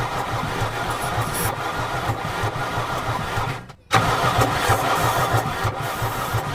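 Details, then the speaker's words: Mercedes 300D diesel, sat three years with water in the fuel system: starter churns steadily with even rhythm but never fires; suspected water in fuel preventing firing, not flooding. "I don't think they're flooded because it is cranking oh like but I guess it's not firing it's not firing whatsoever no sign of it so maybe it is like unhappy about the water in the there"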